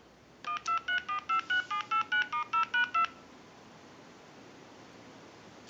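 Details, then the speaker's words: Clear Trimline telephone touch-tone dialing checked on an analyzer, including reset and redial: eleven clean, evenly spaced tones at about four per second. It dials out normally. "we're gonna walk through our numbers if you watch the analyzer you'll watch the numbers roll by I'm going to end in a two now I want to go ahead and hit reset and redial"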